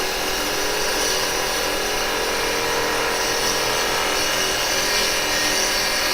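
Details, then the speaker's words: Woodturning a bowl bottom with a push cut: a fast, uneven rattle under the scraping hiss as the gouge bounces over an uneven, hollow surface. "Now, you'll hear the bouncing there. That's because we got that following there."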